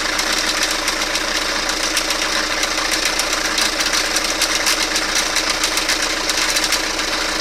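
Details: Toyota Carina idling: uneven metallic tapping about once a second under a bright hiss, a knock low in the block near the crankcase; cause unclear.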